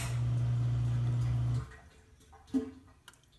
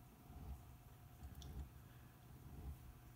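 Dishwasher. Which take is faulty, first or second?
second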